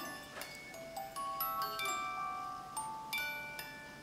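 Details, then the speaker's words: Overwound music box after repair, set in stock position before being glued back into its box: clear plucked chime notes in a steady tune with a light ringing echo, sounding better each time, playing smoothly. "doesn't it sound better and better each time"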